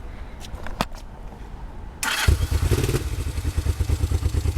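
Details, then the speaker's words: 1969 Honda CL450 twin after starter clutch rebuild, button repair and new solenoid: starter whirs, engine catches and runs rough with uneven stumbling beat, not fully warm and petcock off. "on there you go running a little weird it's not fully warm yet and the petock off but pretty good"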